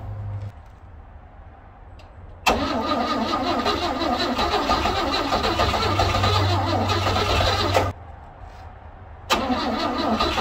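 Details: 1960 Grumman Olson Kurbside step van, 235 engine unstarted since 1992, cold (30s°F), external fuel tank plus starting fluid: starter cranks steadily about five seconds, stops, cranks again, never fires; owner thinks it flooded, and one spark plug wire was left off.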